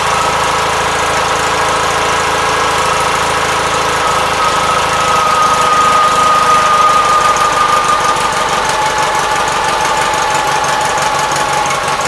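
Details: 1976 Gravely 816 single-cylinder engine thumping at roughly three beats a second, even and steady with a faint whistle on top, muffled, after a missing fuse and jammed fuse-holder wire were found; normal running.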